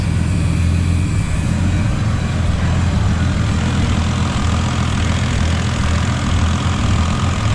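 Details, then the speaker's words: Ford FG Falcon turbo Barra ute idling on a hoist while warming up, running 91 octane fuel: smooth, deep, even idle with a steady low rumble, slightly fluffy but no knocks, ticks or leaks heard; sounds healthy. "So it's a little fluffy on the idle, but it does have 91 in it at the moment, which is a bit gross."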